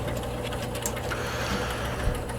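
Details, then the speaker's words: 1962 Vaga Bond electromechanical pinball machine: reset stuck, small motor hums steadily with faint mechanical chatter and never shuts off; game also gives only one ball. "okay now we have our reset stuck look i can hear the the motor running so we got to take a look at that too"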